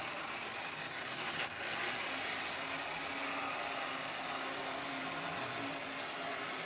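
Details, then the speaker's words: Lionel #60 trolley, 50+ years old, after cleaning and repair, on test track: steady even high whir, much quieter than before, with faint gritty grind underneath; slight gear grind, light works. "a little grind to it not too bad light works great looks good works i like it for 50 years old or more"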